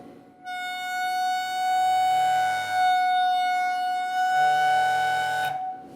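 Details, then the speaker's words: StepperOnline NEMA23 180W 3000 rpm easy servo, bench torque test at gain 12 under load: steady shrill singing tone with ringing overtones for about five seconds then stops; servo oscillating from excessive gain, dialed back to 11. "okay looks like that is not gonna work um with that higher gain so let me dial it back down"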